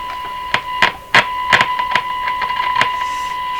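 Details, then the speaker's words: Northern Electric 5300 five-tube radio during an alignment check: a steady tone with irregular sharp crackles and pops every half second or so. The owner suspects a tube contact problem or a cold solder joint. Intermittent crackle. "I'm gonna assume it's just a tube in contact problem those goes down quite a ways before it grabs okay back on so it could be cold solder joint underneath here"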